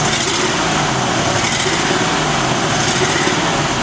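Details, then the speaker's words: Ford 2001 E250 van, 4.2 engine, with a complaint of running badly and a misfire code, idling: an uneven stumbling beat from one cylinder not firing. Vacuum is steady at 22–23. "Now, when it runs, it runs like a clear misfire."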